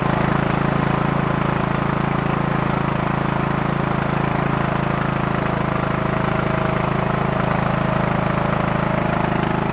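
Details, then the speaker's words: Early-2000s Craftsman LT1000 tractor that had overheated and was backfiring, with no compression, after repair and carb cleaner: the single runs with a steady, even thump at fast idle and holds speed without stumbling; running normally. "uh seems to be pretty decent I'm going to go start buttoning up all the tins on the engine"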